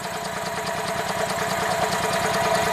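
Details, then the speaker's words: 2004 EZ-GO gasoline golf cart that quit after driving into a deep puddle: even cranking of about three beats a second that never catches. A tiny, very weak spark looks like a bad ignition coil, but a foot-pedal switch is dropping the coil feed. "you can see a tiny spark so we have a very weak spark and like it sure looks like a bad ignition coil"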